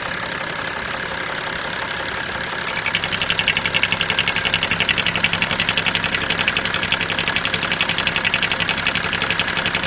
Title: BMW 335d engine noise when removing oil cap.